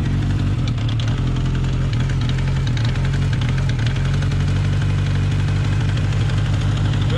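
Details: Honda CB750 K/Z restarted after winter, idle on the four-cylinder with a fast light metallic rattle, worse at low idle; clutch basket rattle from worn damper pockets.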